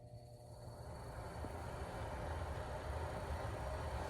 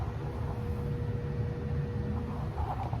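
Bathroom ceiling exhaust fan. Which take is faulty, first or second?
second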